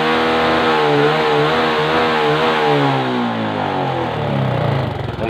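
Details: Suzuki 115cc motorcycle in a no-start troubleshooting job: the small single catches and revs up smoothly, pitch rising and easing back with the throttle, now running evenly.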